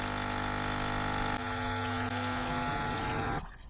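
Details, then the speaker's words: L'OR Barista Sublime Compact coffee machine pump after an airlock was cleared: a steady buzzing hum with a gurgle as water flows, then it cuts off. The pump is primed and now delivers water normally. "Hopefully you'll hear it, and hopefully it will sound different and water will start coming out the front like"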